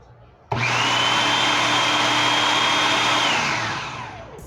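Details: Commercial food processor that would not start, pressing the safety sensor (yellow and red wires) to engage: motor starts at once, holds steady high whine about three seconds, spins down smoothly; motor runs normally.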